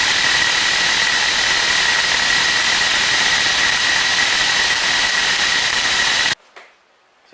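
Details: Husqvarna 372XP chainsaw after oil pump replacement with oil tank filled, bar and chain not yet fitted: a high, steady two-stroke scream held evenly for six seconds then cut off, running smoothly and strong.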